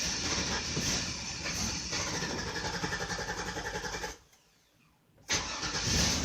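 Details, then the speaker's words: 2002 Chevy Avalanche 2500, pedal held: runs rough and uneven, cuts out about a second and catches again, near stall; injector pulse rising, stuck in open loop. Mass airflow suspected next; later found to be a bad fuel pump. "injector pulse would start go up and start to stall what the man what's going on here my oxygen sensors are moving because it's still stuck in an open loop"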